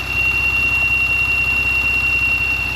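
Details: Porsche Macan warmed up 4–5 minutes, with the noise appearing after the throttle was blipped about three times: a constant high-pitched tea-kettle whistle over a soft idle hum from leaking PCV valve seals. Temporarily fixed with seal packing; O-ring replacement planned.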